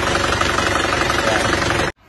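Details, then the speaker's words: Diesel engine on arrival, previously rebuilt but never healthy: thick exhaust smoke, harsh uneven clatter with a fast steady tapping over the idle, blowing by; rough diesel running with blow-by. "Asap distnya tebal dan suaranya agak kasar. Ini ada tak-taknya. Ini sama-sama ngobosnya juga."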